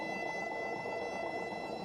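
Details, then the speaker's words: Rolls touching at zero gap during zero-and-parallel setup of an RMS 6x6 / MicroMill small brew roller mill: steady rough rumble with thin high tone, heard after the V-block whine; dial set to 0, then opened and backed to about 15. "All right, there you can hear that rumble, so that's the rolls touching. Set your dial to 0, open it up, and then I usually come back to about 15."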